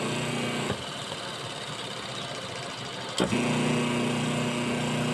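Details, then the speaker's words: Washing machine wash motor bench-wired through a timer switch and capacitor: quiet, then a clean start into a steady low hum that holds evenly as it reverses; normal forward-reverse cycling. "Yan guys, kung makikita nyo, yan ay nagre-reverse forward yung wash motor natin."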